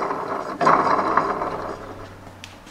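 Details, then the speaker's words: Toro commercial mower deck spindles turned by hand with heavy play and worn parts: rough, gritty grinding rasp fading as it slows, explaining the bad sound when the PTO was engaged; worn spindle bearings need replacing. "well I guess now we know why everything sounded so bad when I turn the power T off onto the mower"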